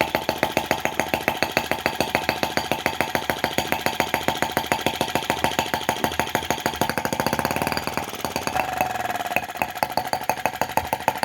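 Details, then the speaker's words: T16B Lanz-type brass half-tracked model tractor on its first start, just put in reverse: even, slow putt-putt at about three and a half firings a second, steady and unlabored; normal slow idle. "Oh, I was hoping it would be slow revving, and that's just great."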